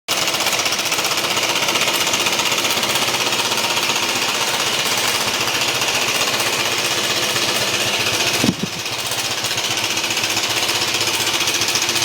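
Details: BMW C1 200 scooter engine with heavy, rapid, harsh clunking at about four per second over the running engine; a serious, terminal-sounding internal knock of unclear cause.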